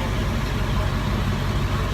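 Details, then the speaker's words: 1997 International diesel truck with a turbo, idling during a basic A-service inspection, listened to at the exhaust stack: steady deep even rumble with no puffing or ticking; no exhaust leak heard at the stack, manifold or turbo. "so here's my stack right here and as I'm listening I don't hear any kind of exhaust leak"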